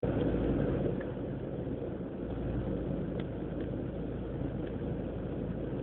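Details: BMW E36 318ti petrol engine at idle: uneven, stumbling low rumble; idle control valve already replaced, which helped slightly; rough idle.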